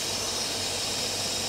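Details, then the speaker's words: Engine running: steady high-pitched hiss over a faint hum with no knocking. It sounds like an air leak, but a smoke test found no leaks. No check engine light, the car won't accelerate, and the owner wonders whether it's fuel. "it sounds like there's a leak there are no leaks I did a smoke test no leaks"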